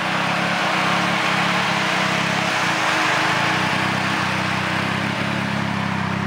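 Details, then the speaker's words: 2006 Nissan Sentra SE-R Spec V, built turbo four-cylinder (GT35R, e85 tune), idling after a machine-shop rebuild and reinstall: loud, even idle with a steady low throb and no knocks or ticks; sounds good. "But everything else is working. Car sounds good. That's about it though."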